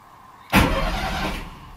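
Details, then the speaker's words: NSU engine with torque converter, cranked after oil hose work to flush oil and check oil pressure: sharp start, then even, steady starter churn with no knocks or grinding; cranks freely, normal cranking. "That sounds happy."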